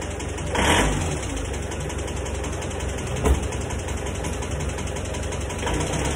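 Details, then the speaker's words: Isuzu Panther diesel, just overhauled with seals replaced and bearings fine, still idles with a very rough, hard constant tak-tak knock on every firing stroke; releasing injector pressure doesn't remove it. Cause not confirmed. "suaranya kasar jadi permasalahannya pada suara yang kasar saja ini dan kasarnya itu ya enggak kasar enggak kasar nanggung tapi kasar kasar bangetlah"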